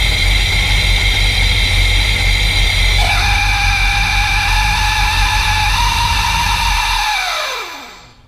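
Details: Magnuson 2300 at idle: the engine idles evenly, then a steady whine joins and holds until shutdown, dropping away with the engine; cause undetermined.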